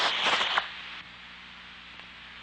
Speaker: this is how a vacuum leak will sound through your own suppose